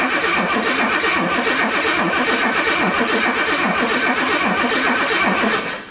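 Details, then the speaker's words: 1984 Jaguar XJ6 automatic that sat 20 years: even starter cranking at about four turns a second that never catches; the spark plugs are drenched in ATF poured into the engine, which may be why it won't fire. "I don't know if you can see that that plug is completely drenched in all the ATF that I poured in this thing."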